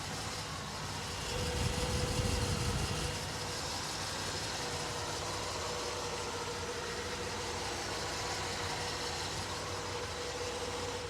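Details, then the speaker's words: 1963 Chevrolet Corvette 327 small-block V8 after a cold start, microphone moved around the engine: even, quiet idle with a low rumble, no exhaust leak, valvetrain, water pump or bearing noise; healthy. "Hey, everything looks pretty good to me. Quiet, smooth operation, nice idle. You heard it start up instantly. No noises from the water pumps, bearing noises."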